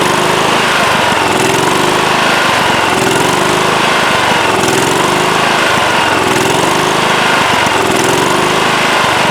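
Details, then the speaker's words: Late-1990s Scotts lawn tractor with single-cylinder Kohler engine, after sitting a few years: speed swings up and down about every second and a half as the governor arm hunts; fixed by carburetor cleaning. "so all right so you hear it running and you hear it surging um it's not as bad as some engines that i've heard you can see the governor arm moving back and forth as it's hunting and surging"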